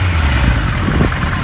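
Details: 1978 Kawasaki KZ1000A, motor very cold, choke on, fuel valve on reserve: a short, clean rise in engine note as the throttle opens, smooth and even with no stumble; normal rev response.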